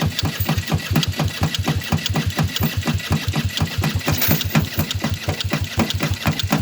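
Steady starter churning at about two compression beats a second that never picks up or fires; turning over but not starting.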